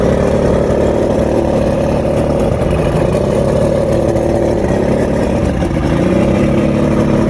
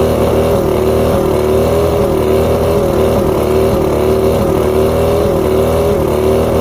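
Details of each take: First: Rebuilt outboard with all new electronics, after a three-week fix of rough idle, surging and misfires: steady even idle with a smooth low drone and no surging or stumbling; engine now running cleanly. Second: Outboard at idle running unevenly with a stumbling beat and occasional dropouts. Coil output voltages were about 250 except coil 4. Bottom switch box feeds even coils. Coil 4 tested good, so the misfire is traced to a faulty switch box.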